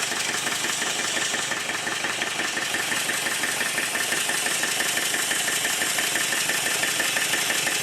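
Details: Southworth duplex boiler feed pump steam engine run on compressed air after service, steam oil injected into the inlet: fast hissing exhaust beats, about three a second, with spluttery wet edge; rough running from excess oil blowing out the exhaust.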